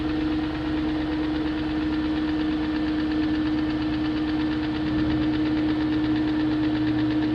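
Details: 2001 BMW E38 740i after rebuilding the VANOS units with Beisan kits, replacing VANOS distributors and camshaft gaskets, lifters checked, plugs tight: steady idle with light fast tick over constant drone; top-end ticking persists, cause unknown.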